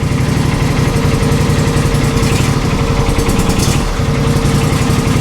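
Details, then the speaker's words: John Deere SST16 zero-turn mower, unused and non-starting for about 5 years, run outside after adding non-ethanol gas; idle speed rises and dips unevenly instead of holding steady, surging at idle, owner hopes burning through old fuel helps. "let me take this thing outside it can run now no joke no joke and you can hear how it surges"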